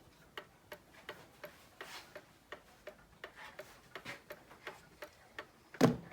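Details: Seth Thomas pendulum clock circa 1875, movement just reinstalled and running without a face on a fairly level table: crisp even tick-tock with equal spacing and no limp; in beat without bending the crutch.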